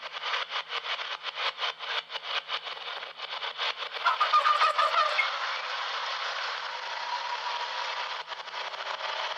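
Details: 2003 Toyota Tacoma Prerunner, recorder mounted on the rear axle while driving: rapid, uneven squeaky chirps over road rumble with a brief sharper squeal.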